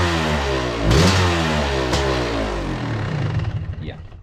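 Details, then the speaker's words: 2002 Yamaha YZ125 two-stroke fires right up on the kick but runs rough, with a ragged, uneven note that stumbles as it revs; owner suspects it needs a top end, possibly jetting, cause unconfirmed. "Obviously it doesn't run amazing, and I have a feeling it's because it probably needs a top end, even though it fires right up."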